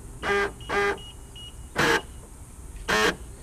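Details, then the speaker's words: Lexus IS300 door lock actuator, after only its motors were replaced in a rebuild: short harsh buzzing bursts about once a second, each cutting off abruptly; the owner suspects stripped internal plastic gears or a broken actuator. "what I think that is is the plastic gears inside are either stripped or the actuators broken but before they didn't used to make any noise they just didn't work"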